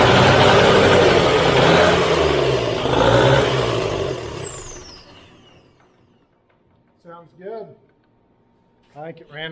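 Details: New Holland skid steer diesel, starting: catches and runs rough and loud a few seconds, then fades and dies; ran out of fuel.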